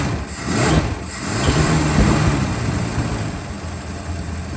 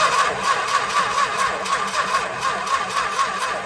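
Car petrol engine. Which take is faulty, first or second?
second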